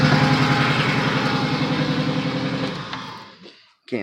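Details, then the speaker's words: Pontiac 3800 V6, cold, with P0171 system-too-lean bank 1 and misfire codes: uneven, lumpy idle stumbling about three or four times per second before shutdown; vacuum leak at upper/lower intake suspected rather than head gasket. "this is a code kind of point in the direction of an intake problem over a head gasket and then there's more misfires"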